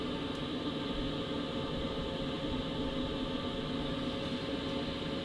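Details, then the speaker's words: BougeRV diesel heater in a DIY travel trailer, ignited and running on high at 5 kW; a steady fan rush with a faint even hum, no ticking or surging. It is said to be much quieter at 1.4 kW. "So that's the sound of it on high 5 kilows and obviously there. Um, but I drop it down to 1.4 and it's really quiet and you don't hear that ticking sound once it ignites."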